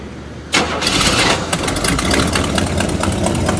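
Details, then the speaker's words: Old V8 Buick that had stalled and run on four cylinders, after new distributor cap, started after sitting 10–20 minutes: long crank, then catches and settles into a steady, busy idle; smoke from manifold gasket; normal start. "It's been sitting, so it does that old Bluick syndrome where you got to crank the fuck out of it. And the smoke you saw is coming out of the manifold gasket there. But it's running now. Nice and smooth."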